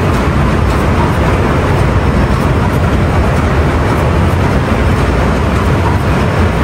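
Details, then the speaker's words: Ship main marine diesel run during departure preparation, after confirming no water and closing test cocks, ahead/astern testing; deep steady even roar with smooth turbo hiss, no knocks or surges; normal running. "Matakbo na, check natin ang mga abnormalities. Pakinggan natin yung tunog ng makina, yung turbo."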